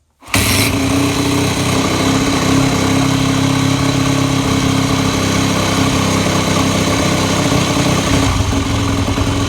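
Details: 2002 Yamaha WR250F with a manual decompression lever, started by the top-dead-center starting drill, with and without choke: it kicks over and catches at once, then settles into a steady, even single-cylinder idle with a smooth exhaust note; normal start.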